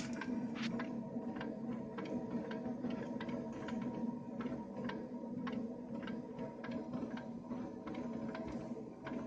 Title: Ovo smart gas meter making noise when heating switches on.